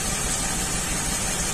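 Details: 2003 Ford Windstar 3.8 V6 that runs rough, with plugs and wires already replaced: a slightly uneven, lumpy idle pulse from a misfire. Cylinder 6 shows very weak spark, and the cause turned out to be a faulty ignition coil.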